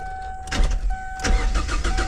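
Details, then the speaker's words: 2002 Kia Sportage that sat for a long time with the top off and got rained in. A new battery is fitted. Steady rapid cranking pulses with a chime in the background, but the engine never catches: it cranks and won't start. "Uh guy said it ran. We put a battery in it. She just cranks over."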